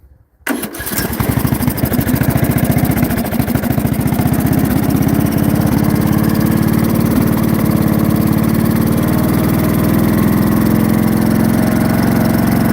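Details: Briggs and Stratton 16hp single-cylinder overhead-valve engine, cooling shroud off, cranks and catches fast then runs with an uneven, lumpy beat; runs with no power and commonly stalls, cause unclear.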